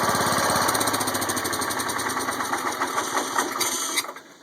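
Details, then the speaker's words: John Deere 140 hydrostatic tractor, warm after 15 minutes idling, in neutral, after hydro cam/linkage adjustment and check-valve fix to stop creep: steady single-cylinder patter before shutdown, no knocks or grinding; normal idle. "So far so good. It's in neutral. No funny noises. That's always a good thing."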